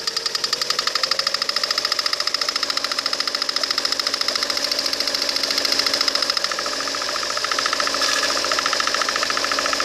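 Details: Lada Kalina 1.4 16-valve engine knock: sharp, even metallic ticking about three per second, loudest up top near the timing cover; shifting the timing-belt cover makes it louder or vanish depending on direction. Cause suspected, unconfirmed.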